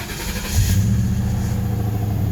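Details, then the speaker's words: Car at 12,392 miles, started after sitting a week, possibly on 87-octane fuel: fires quickly, swells briefly, then settles into a smooth, even low hum with no misses or knocks; healthy start. "runs great though I just can't freaking drive it I really miss driving it that's for sure but I think I did put 87 in this last time I didn't fill it up but yeah this car runs really good still"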